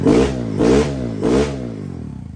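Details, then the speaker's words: Kawasaki KLX110L with TB cam, after valve adjustment and timing, running slightly rich, first fire-up warming; three crisp throttle blips settling to idle, some normal TB cam noise; healthy normal revving. "So that is normal. But other than that, she sounds like she's running pretty good."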